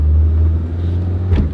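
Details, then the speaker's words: Worn car compared against a Corolla, pulling away with a low engine rumble: a clunk going into reverse, then a short thud as it slams into second gear, a failing transmission. "now when you put in reverse you can hear that clunk well guess what that's a transmission going out when you take off shifts like a joker you can hear that thing slamming in the second gear"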